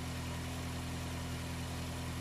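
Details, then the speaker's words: 2003 Honda City i-DSI at idle with the A/C compressor on, after replacing the belt tensioner idler pulley bearing: a smooth, even idle and steady belt with no squeal. The earlier A/C noise is gone. "ตอนนี้คือเสียงหายแล้วครับปกติเปิดคอมแอร์จะมีเสียงดังขึ้นมานะครับอันนี้ทำงานปกตินะครับ"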